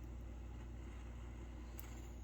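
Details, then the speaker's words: MSR Whisperlite International stove lighting, using its stock pump, valve not yet opened: soft steady rumble and hiss as priming flame heats generator tube and fuel vaporizes; normal priming. "But you hear that noise? That's starting to vaporize the fuel that's left in that right there."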